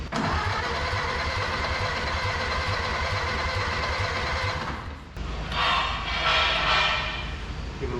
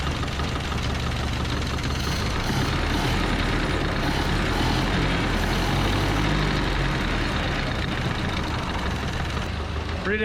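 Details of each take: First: Barn-find 1930/31 Ford Model A coupe, unused since 1964, first start attempt with a leaking carburetor: the starter churns about three beats a second for five seconds with no fire. With the choke off it won't catch; it needed to be held on full choke. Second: 1930–31 Ford Model A coupe, barn find last tagged 1964, running after sitting about 60 years, heard with fresh exhaust fitted: low, even, quiet idle at about three firings a second, no knocks or exhaust leaks; normal smooth idle.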